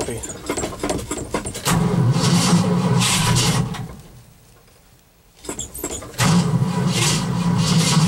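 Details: Cold start after an overnight low of -11 and 0 degrees at start: two bursts of fast, even starter cranking at about four beats a second with a pause; engine never catches, owner suspects flooding. Cranks but won't start.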